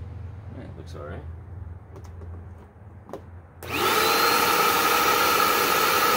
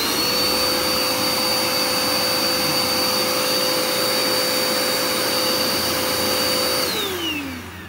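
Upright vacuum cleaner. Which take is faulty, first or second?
first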